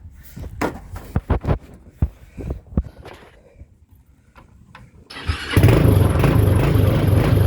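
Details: TrailMaster 300 XRS go-kart, used, with carburetor cleaned after sitting, before carb adjustment: scattered clunks and a stumbling crank, then it catches and runs only on throttle, never settling into an idle.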